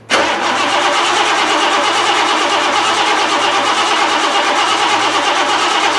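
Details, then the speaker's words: 1988 Lincoln Town Car on its first start after fuel tank work. The starter keeps grinding in one steady, unbroken whirr for about six seconds: a sticking starter solenoid, or possibly the ignition switch stuck on. "mostly there the solenoid hung or the ignition switch to self on which could explain why that cover was off the bottom"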